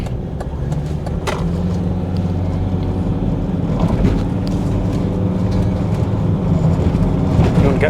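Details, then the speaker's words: 2003 Volvo XC90 D5 driving at cruising speed: steady low drone under road noise, pitch following road speed; known worn wheel bearing awaiting replacement. "Yeah, brakes feel okay. You will hear some wheel bearing noise. I am aware of it."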